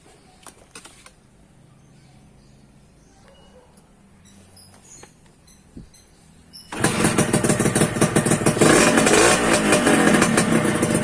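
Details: 2001 Suzuki Satria 2-stroke that wouldn't start from lost ignition, caused by a failed on/off button in the right handlebar switch, now bypassed. After the fix it catches at about seven seconds and revs with a crisp, regular buzz: normal running.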